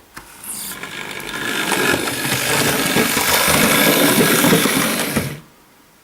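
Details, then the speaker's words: Hornby Dublo LNER tank locomotive running on track: smooth, even motor whirring that swells and fades as it passes, no knocks or grinding, not much noise; normal running. "that wasn't a lot of noise either was it"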